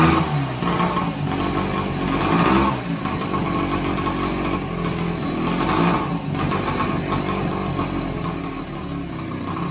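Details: 1929 Scott Flying Squirrel two-stroke, first start after restoration: lively burble picking up cleanly on each throttle blip and settling back evenly; normal running.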